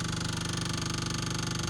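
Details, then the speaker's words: 1984 Jeep Wagoneer at key-on with the engine stopped: a loud, fast, even ticking buzz of about eighteen pulses per second from an electric fuel pump that someone fitted at some point, heard before cranking the engine. "oh that sounds like an electric fuel pump H the motor turns over but yeah that sounds like a a fuel pump"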